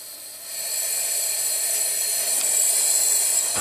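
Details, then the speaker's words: 2008 Subaru Legacy 2.5 SOHC replacement junkyard engine, cylinder 4 misfire despite new injector, coil and plug; leak-down test at TDC on compression gives a loud steady hiss of air rushing out the exhaust: exhaust valve not sealing. "I know it's coming out the [Music] exhaust like hardcore can you can someone tell me why those exhaust valves are not sealing"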